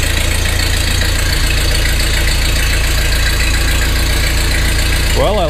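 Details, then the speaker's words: 1948 Ford 8N tractor, first start after complete engine rebuild, in neutral with choke: low steady four-cylinder idle, no misses or knocks, good oil pressure; healthy. "that foot throttle works well excellent oil pressure heck it's got the G gauge Peg that idle that ain't bad so far so good proof that it runs"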